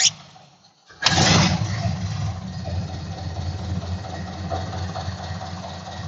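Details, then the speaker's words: Ford Model A after timing adjustment: engine catches first try and settles into low, steady, even idle with no misses; normal idle. "I don't know if you could hear it at all through the um microphone but they sounded pretty good"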